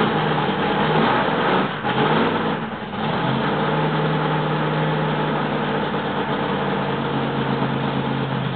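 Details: Freshly rebuilt L88 427 Chevy V8 from a '66 Chevy II, hydraulic roller cam, aluminum heads, low compression, first start-up: quick rev then strong steady burble at high break-in idle, timing roughed in, no knocks or misses.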